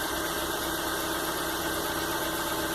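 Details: Fiat Linea, warm engine, idle control relearn just completed successfully via scanner: steady, even idle with smooth low hum, no misses or knocks; running cleanly.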